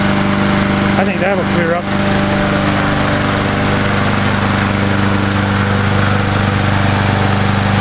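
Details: Old Murray Dynamark 22 mower, 3.75hp Briggs & Stratton, revived after seven years stored, sharpened blade, cutting thick grass: steady, even single-cylinder drone holding speed without bogging; normal running under load.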